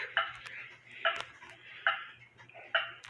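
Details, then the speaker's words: Hamilton Westminster-chime grandfather clock after beat adjustment: crisp tick-tock with evenly spaced beats, about seventy pairs a minute and no limping rhythm; clock in beat. "just don't ever move it now you can hear that it's got an even Tick"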